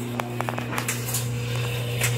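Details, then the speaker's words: Washer draining mid-cycle with about 53 minutes left gives a steady low pump hum with a few light clicks; normal drain pump operation. "it's draining about 53 minutes left hear that pump going"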